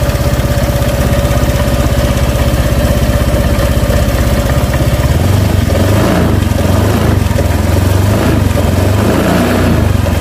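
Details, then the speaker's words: Honda Vario Techno 125 scooter, cold, with stuttering and weak uphill pull when cold but fine warm: cold idle pulses unevenly and gets lumpier as if about to die, a rough cold idle. "Ini katanya khusus dingin aja seperti ini. Kalau dingin dia mati-matian, hidupnya mati-matian, terus mau nanjak ke atas tanjakan itu mendorong."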